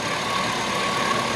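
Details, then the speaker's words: 5.3 LS Chevy Tahoe that was not running when bought, now running after its grounds were fixed: steady, even hum with no ticking or knocking; smooth, quiet idle, far better than before. "But look at how smooth that thing runs and how quiet that is. I mean, that's amazing for what it sounded like before."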